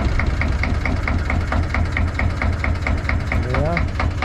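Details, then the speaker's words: 1972 Nordan 21 fishing boat with 11hp Sabb single-cylinder marine diesel: slow, even chug at roughly two beats a second with a crisp regular tick; everything works, healthy normal idle. "Sama asja kõik töötab. Väga hea, mulle meeldivad vanad asjad."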